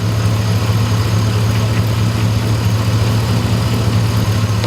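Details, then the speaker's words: 2001 Chevy Silverado 4x4 checked for a weird howling noise while driving; cracked oil fill neck noted. Engine idles with a steady, even low rumble, no squeal or chirp, sounding healthy. "Actually sounds super good."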